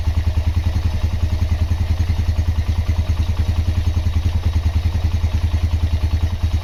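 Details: Honda GL Max Neotech engine after restoration/rebuild: even low putter with steady firing pulses, no ticks or top-end rattles; normal idle.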